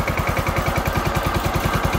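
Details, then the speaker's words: John Deere X324 lawn tractor bought at auction, oil not checked: small engine thumps in quick even pulses with a rattly, loose edge; owner thinks the motor sounds loose with many hours on it, cause unclear. "Motor sounds a little loose, like it's got its share of hours on it. That's my opinion."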